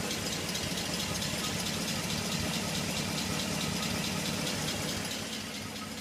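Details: Pontiac G8 at idle after dealer installed new lifters: crisp light ticking on top of idle, about four ticks a second; lifter tick persists.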